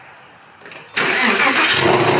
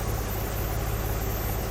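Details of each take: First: 996 Porsche 911 Carrera, manual, after refitting exhaust manifold and hanging the mufflers back on: starts cleanly, smooth idle with light revs, clean exhaust note, no rattles; healthy. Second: Porsche 996 911 Carrera, manual, just after exhaust reinstall: steady idle under a constant airy hiss; vacuum hose found with a hole, possibly brake booster line, causing a vacuum leak that could trigger a lean code.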